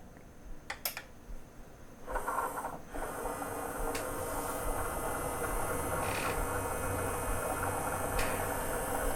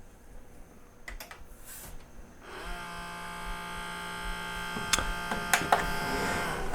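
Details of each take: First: Sony CDP-CX355 CD changer, nearly 20 years old, after replacing loading and carousel belts for table error: quiet clicks then smooth even whir of the tray with soft indexing clicks; carousel rotates and cycles through discs normally. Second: Sony CDP-CX355 Mega Storage CD changer, nearly 20 years old, carousel won't rotate and gives a table error: the motor whirs steadily with faint clicks but the tray never turns; the carousel belt is broken, slipped, stretched or gone gooey.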